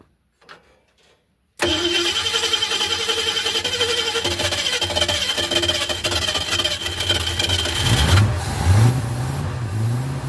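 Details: Ford Fairlane with a new Holley 500 CFM carburetor and manual choke, after adjusting throttle linkage that held it at 3,000 rpm: starts and settles into a smooth fast idle of about 1300 rpm with a few blips while warming; normal idle.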